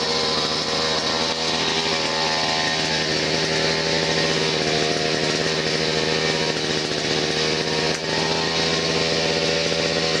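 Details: Chinese petrol string trimmer after repairing the start/stop switch contact and fitting a new spark plug: a steady high buzzing two-stroke note holds constant speed without misses or sputter; it runs normally.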